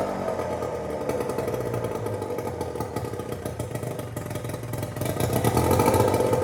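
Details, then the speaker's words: Small outboard on a 1972 14 ft Alumacraft row boat, carburetor with full gasket rebuild kit and new fuel pump piece: fires steadily at a fast even beat, picking up toward the end; normal healthy running. "so there you guys have it this thing is a ripper all good to go so i'm gonna have to go out for round two on the lake and this thing sounds like it's running really good"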